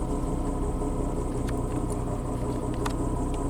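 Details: Car idling right after replacing the crankshaft position sensor to cure random stalling: steady, even low rumble with no stumbles or dropouts; smooth idle, though it still needs a road test to confirm the fix.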